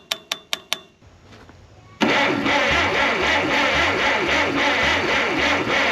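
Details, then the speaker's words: Narrow-front Farmall M tractor after head reassembly and carburetor rebuild, fuel turned on: a few sharp clicks, a pause, then steady rhythmic cranking that never catches; cranks but won't start because the spark plug wires are on in the wrong firing order. "see if the spark plugs are sparking. It's because I have all the spark plug wires on backwards."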